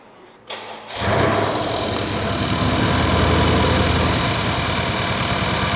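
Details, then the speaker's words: Mercedes-Benz CLS AMG with intermittent crank position sensor 1 fault, stalling and misfire complaints, crank sensor replaced twice and ECU replaced, codes cleared: engine cranks, catches quickly and settles to an even idle with no stumble or shake; revs reportedly limited near 2000 rpm. "보자 아이들 상태에는 이렇게 엔진이 지금 정상적이 구조도 하나도 없고 떨기도 없이"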